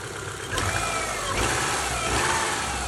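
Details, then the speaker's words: Older Subaru Outback four-cylinder after a P0301 cylinder one misfire fix with new plug wires and coil pack, plugs kept: smooth, even running with a few quick throttle blips and no stumble. "Got a good running little four-cylinder again."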